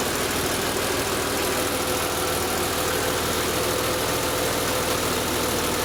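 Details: Idle on a BMW M3 E36 with the S50B32 engine: steady run carrying a faint thin tone and a light hiss-like rattle. Abnormal idle noise, VANOS suspected, cause unconfirmed.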